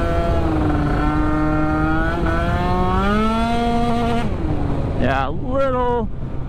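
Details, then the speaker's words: Freshly built, carbureted Yamaha Aerox scooter after timing and jetting adjustments, revving hard under load with rising buzzy note then cutting out and stuttering at top; suspected lean, not enough fuel up top. "sounds like i want quite enough fuel up top you could hear kind of cut out there"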